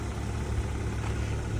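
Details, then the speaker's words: Ford Fusion, 48,955 miles, started on its own without jump: low, smooth, even hum with no knocks or ticks; quiet, healthy idle. "And it is already running. Backing it up and forward. Very quiet Ford on this one."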